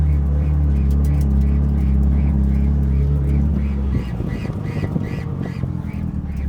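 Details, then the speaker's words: Fully built Mitsubishi Evo 9, first drive after two years on jack stands: regular duck-like squawk about three times a second over steady engine drone; something rubbing, possibly the stickers, source not confirmed. "Yeah, I hear it. It sounds like a duck. Yeah, it's just like a duck."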